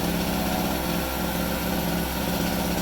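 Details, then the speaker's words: Harbor Freight 800 W two-stroke non-inverter generator under load; not a steady 3600 RPM, pitch wanders up and down as governor hunts, normal speed variation under load. "Now it's not an inverter, so it doesn't produce a constant steady 3600 RPM. So it'll fluctuate back and forth."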